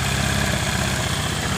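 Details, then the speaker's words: Honda Vario carburetted scooter, dead after an earlier engine rebuild/oversize, on a bottle fuel feed bypassing the automatic fuel tap: steady even low idle with no misses or stumbles; runs normally, confirming the automatic fuel tap was blocking fuel. "hidup dengan normal berarti saya pastikan bermasalah di motor ini di kran otomatisnya ini yang jadi permasalahan dari motor ini"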